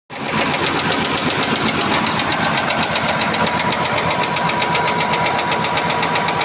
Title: engine knocking